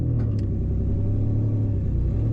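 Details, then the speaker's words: 2001 Ford Ranger 5-speed heard while driving: loud, raspy, constant low drone with a steady pulse, loudest right under the driver. Owner suspects the exhaust is leaking badly toward the front or disconnected; the rear exhaust is poorly secured. "either the exhaust is leaking really bad up here towards the front, or it's not connected at all, because like I said, it sounds like most of the noise is right underneath me."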